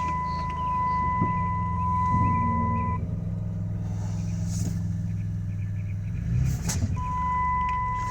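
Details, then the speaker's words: 2008 Dodge Grand Caravan with rebuilt engine: starts and holds a smooth, even low idle when shifted into drive, dash chime beeping over it; engine runs fine. "Okay, we'll crank it over so you can hear it start."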